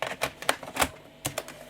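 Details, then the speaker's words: Philips PCL 304 Intel i386SX laptop from 1989, single floppy drive: scattered clicks with no seeking, and it can no longer boot a bootable disk; the head seems unable to move, possibly from a cable damaged during earlier work. "I just can't boot off a bootable disc anymore it sounds like the head can't move so we do need to take this apart again to service that drive as well"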